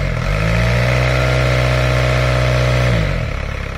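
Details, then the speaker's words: VW A4 with ALH TDI diesel after a died-while-driving no-start, timing belt inspected: revs climb smoothly to a steady higher speed, hold evenly for two seconds and fall back cleanly with no knocks or misses; the motor sounds good. "Okay. Yeah, so motor sounds good. Yeah, we'll do the water pump, everything else on Monday."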